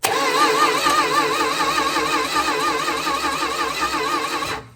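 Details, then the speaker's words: 1964 Dodge Dart GT, 273 V8 with push-button transmission, long-dormant barn find being reassembled: engine cranked by jumpering the starter relay from big post to middle post; starter whirs steadily with even compression rise and fall, cranking freely and healthy. "Now what we can do is take a screwdriver and jumper the starter relay from the big post to this middle post."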